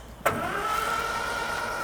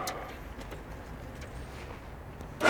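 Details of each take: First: Morris Minor parked 21 years, new battery fitted, out of gear, first cranking attempt before plugs or fuel are added: steady, even spinning with a whirring starter tone and no binding. It turns over freely, though no fuel pump clicking is heard. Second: Morris Minor barn find parked 21 years, new battery: a steady high whirr of cranking for about 4.5 seconds without a single firing stroke.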